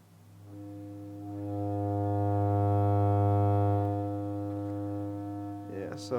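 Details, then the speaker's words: Altec 604-8G studio monitor after recone, amp wired directly to the driver without the horn, tone generator at 100: steady low tone with a rough fizzy buzz; voice coil rubbing from being centered wrong, pressing on the cone stops it. "so as you can hear, there's a lot of vibraty stuff in there. I did not do it right. Shouldn't be making any of that noise."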